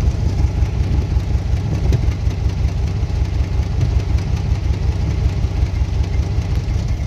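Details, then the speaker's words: Holley 750 carburetor on a V8 at idle with idle mixture screws 1¾ turns out, running rich: deep, hollow, lopey-cam-like exhaust note, with some smoke. "the idle is kind of kind of sounds like if it had a kind of a lopey cam the exhaust note becomes really really like deep and kind of hol"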